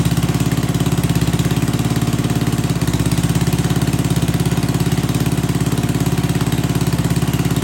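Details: Old Troy-Bilt Pony rototiller small engine, run on old stale gas (no fresh fuel added) after choke adjustment, chugs steadily at about three and a half beats a second with no misses; running normally.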